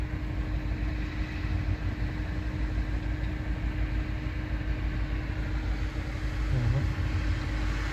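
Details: Citroen/Peugeot 1.6 VTi with codes P0351, P0301, P1337: idle runs with an uneven stumbling beat and occasional exhaust pulse dropouts; misfire at idle, cause suspected, not confirmed.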